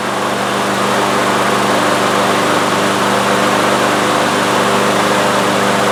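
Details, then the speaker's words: Troy-Bilt TB360 mower with a Briggs & Stratton Quantum engine, unused for 3 years and not starting, after starting fluid was sprayed into the intake and the rope pulled: a steady, busy buzz that keeps running without dying. "Fabulous. Not only did it start, it continued to run, it stayed running."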